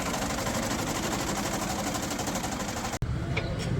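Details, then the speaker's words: Diesel tractor at idle: steady fast metallic rattle, even and unchanging, from a loose timing plate cover chattering against the engine. "लो जी दोस्तो ड़ टाम plate cover ज व फर्ग होया बिल्कुल उपर जि जनाब जी टर"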